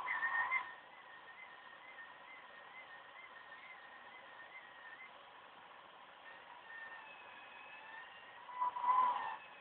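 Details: OCZ ZX1250 80+ Gold PC power supply during a Windows 7 performance assessment; thin steady high-pitched whistle with faint wavering overtone: coil whine from the chokes.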